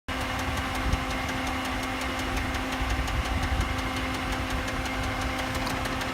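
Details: Mitsubishi 6G72 engine at idle. A crisp, regular metallic knock over an even hum; the knock is not the hydraulic tensioner, and the cause is unknown until teardown.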